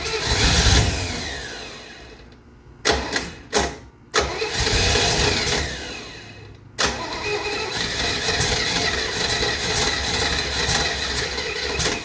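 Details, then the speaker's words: 1968 Camaro, 327 V8 with a 4-speed, swapped-on Holley carb with idle not yet set, mechanical fuel pump, weak battery. On cranking it catches briefly, sputters and dies between bursts, never reaching idle; it is starved of fuel that has not yet reached the bowls. "Trying to get that fuel up in the bowls while I still have some battery. And since it's a mechanical pump, it's not going to happen instantly."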